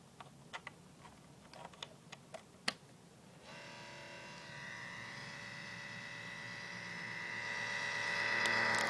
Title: MSI CX623 laptop making very loud noise